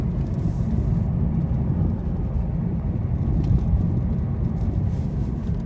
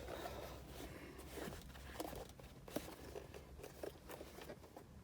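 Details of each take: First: 2018 Lada Vesta Cross cabin driving rough road after dashboard panel taped with one-sided tape to cure squeak, knock and vibration: steady low road rumble, no squeaks or rattles; dash now quiet. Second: Lada Vesta Cross 2018 instrument cluster, removed from the car: soft, irregular crackles and creaks as the plastic housing flexes under light pressure or shaking; loose panel creak.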